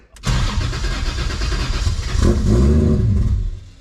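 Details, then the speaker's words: BMW E46 M3 with 1.5JZ swap, first start after trigger setup: cranks, catches and runs rough about three seconds with a brief rev, then stalls; fuel trims need adjusting to idle. "It stops. So now we just gotta change the fuel trims to get it to like idle."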